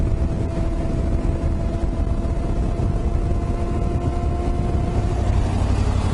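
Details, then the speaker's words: Yamaha Ténéré 700 ridden two-up at cruising speed on tarmac: steady hum with higher squealy ring over wind; knobbier tyres than the road-oriented ones on the Africa Twin make the noise, pressures not yet checked. "Yeah, it's quite a squealy sound. Yeah. Yeah. Oh, the Africa Twin had more road orientated. These have got more knobbies, Yeah. which make that noise."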